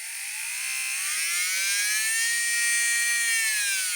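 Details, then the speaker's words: Manicure nail drill (rotary tool) whose handpiece was dropped: high motor whine rising with speed, overlaid with a harsh raspy hiss from the handpiece; foreign noise appeared after the fall, handpiece to be disassembled for the cause. "приветствую всех на своем канале ребятам о ремонте сегодня у нас маникюрный фрезер значит проблема упала ручка вот и появился посторонний шум"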